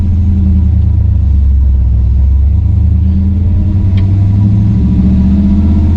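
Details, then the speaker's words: 1963 Chevrolet Bel Air, 4-speed, warmed up on test drive after new flywheel, clutch, fork and rod: steady rumble pulling away cleanly, no shudder as clutch bites; pedal much lighter, chatter gone. "i will tell you that the clutch pedal is way easier the pressing that's ever been so i think the geometry has been fixed don't chatter that's good"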